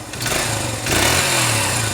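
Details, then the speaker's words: 1980s Honda dirt bike, first start after carburetor rebuild and choke lever fix: small single revs raggedly, pitch sagging and wavering, won't settle into a steady idle; idle speed set slightly too low. "Is it idling? No. Well, I might have to adjust that idle a little bit. It's not far off."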